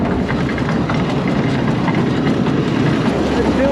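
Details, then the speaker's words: Auction-bought Massey Ferguson 82 combine with the separator engaged and running. Steady, even rumble with no knocking, squealing or grinding; described as very quiet. Normal separator operation. "So, okay, separators in here."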